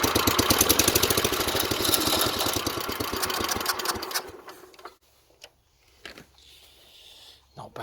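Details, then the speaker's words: 1970s Wheel Horse C121 8-speed garden tractor, Kohler single-cylinder engine, after rewiring points and condenser with fuel pump buzzing; fires evenly for about four seconds then cuts out, no misfire. Normal running. "Take a random chance now and see whether the points are okay, and just see if she'll start. Ooh, sounds like it's going to go."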